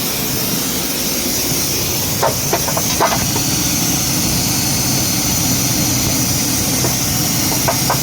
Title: Knocking sound ford ranger 2.2L